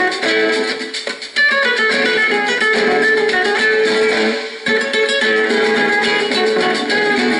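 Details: Norelco 1230 cassette recorder, playing the tape's other side: lively guitar at full volume, held notes stay true with no wobble or slowing; tape and transport have no problems, playback normal.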